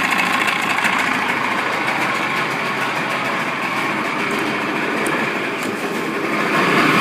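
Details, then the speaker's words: 55 Evinrude outboard running in water after throttle cable adjustment: high buzzy revving pulling clean and steady without misses, water churning hard; running strong and healthy. "So you can see that the engine runs really good and fast and powerful."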